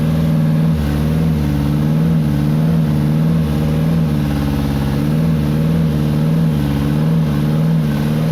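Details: 2013 Nissan engine not started for a year, no injector pulse: starter churns at a steady even rhythm for several seconds but never fires; crank no start.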